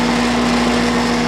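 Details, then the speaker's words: Red Oak TX split-capacitor condenser after replacing bad 15 µF fan capacitor: after standby, solid green light and unit starts; steady even hum with cabinet buzz, condenser fan running smoothly at full speed. "And there she goes. Solid green light. The fan's working."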